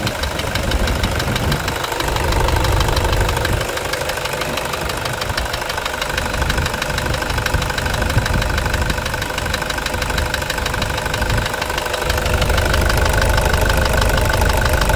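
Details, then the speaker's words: Toyota Hilux 2.5 diesel at idle after the truck had overheated: steady, deep knocking about three per second over a clattery idle. Ruled out as injector; suspected connecting rod bushing. Engine knock. "Então não é bico não, deve ser biela mesmo, deve ser. Biela, deve ser bucha de biela, guerreiro, então."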